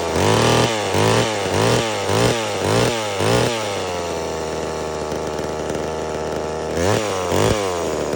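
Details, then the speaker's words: Homelite Super Mini two-stroke chainsaw, customer saw that wouldn't run, rev or idle, after an adjustment of about a turn and a half: screams up, bogs slightly into the log and recovers, revving clean and strong; normal cutting under load. "so the saw runs really well it cuts like butter I'm surprised on how well it cuts through that big log that I put in the video"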